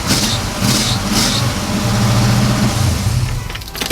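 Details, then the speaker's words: Carbureted car on a very cold day, engine rumbling while a high, shrill squeal comes in short bursts as it's revved: a slipping V-belt, to be fixed with a new serpentine belt system. "so you can kind of hear that v- belt squeaking when I rev"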